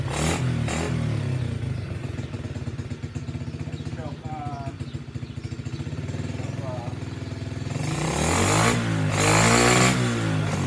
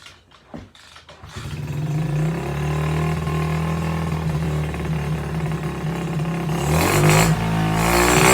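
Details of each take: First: SSR pit bike, small single-cylinder, on its original worn carburetor with the choke on: even popping, then clean revving and dropping back. It runs and responds to throttle, but the kill switch doesn't work. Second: SSR pit bike, small single-cylinder, just fitted with a new carburetor: fast idle that hunts and stumbles slightly before revving. It runs rough; the owner suspects a wrongly sized carburetor or jetting, or an air filter that is too open.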